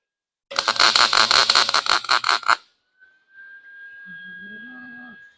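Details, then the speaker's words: Lincoln 140 Pro-MIG, 110 V welder, test weld after setting drive-roll tension to six, before blowing out the liner: arc spits in uneven crackling bursts, stuttering about three times a second instead of a smooth sizzle; wire feed speed still too fast. "I can still feel it's feeling fast"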